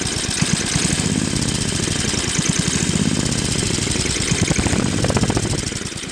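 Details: Craftsman Trac-Drive snowblower, Tecumseh Snow King 5.5 hp 195 cc engine, carb cleaned after a year's storage, leaking back gasket: rapid chuffing low idle rising and falling slightly; still hunting, later fixed with idle screw adjustment at high and low throttle.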